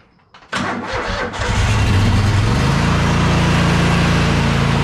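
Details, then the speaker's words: 2007 Country Clipper mower, Kohler CV23S twin, 656 hours, during oil and filter service: about a second of labored, sluggish cranking before it catches and settles to steady idle; battery sounded a little weak, suspected, not confirmed. "uh battery did sound a little weak and the knees there"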